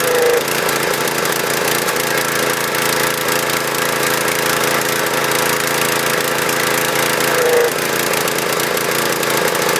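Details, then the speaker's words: Husqvarna PW3200 pressure washer, Briggs & Stratton CR950 208cc single, flood-submerged in Hurricane Ian, fresh fuel, choke off: steady drone with slightly uneven, lumpy beat, never settling clean; running a little rough. "so I'm surprised it started without choking it running a little rough but I'm impressed for a machine that was covered in water submerged we got this thing to fire off"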